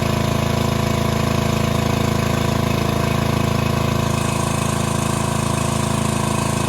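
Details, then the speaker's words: Gravely machine with an overhead-valve small engine, first run after repair, valves found slightly loose and adjusted: a steady, even single-cylinder beat at about three pulses a second with no knocks or misses; normal running. "is Fluffy in there somewhere dude that thing sounds perfect"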